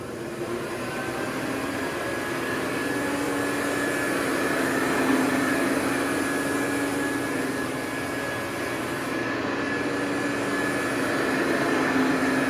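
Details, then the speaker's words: Hoover Convertible U4007 upright vacuum with upgraded aggressive brush strips, HEPA bag fitted, set on normal, during a carpet pass test: steady even motor roar with fan rush, no rattles. Normal healthy running. "Love that sound. That's such a pleasant sound to listen to."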